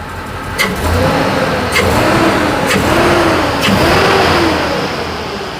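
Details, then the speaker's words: 1956 Chevy V8 revving with an uneven, lumpy beat instead of a smooth pulse, as if running on five cylinders; owner suspects arcing spark plug wires; misfire, cause unconfirmed. "Let me see what it feels like. It definitely sounds like it's running on 5 cylinders."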